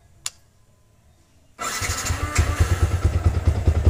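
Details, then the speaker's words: Motorcycle with Juken 5 ECU, starter base map value set to +20 during idle tuning: brief starter whir, engine catches at about 1.6 seconds and settles into a steady, even idle; normal start. "Ternyata juga hidup ya. Sama-sama hidup. Starter plus 20 hidup."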